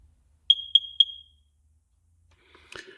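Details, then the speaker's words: Smoke alarm woken at 3 a.m.: three quick high-pitched chirps about a quarter second apart, then quiet; the code on the back of the alarm says the unit is defective. It has a 10-year warranty. "And the 3 quick chirps that we're hearing mean that the unit's defective."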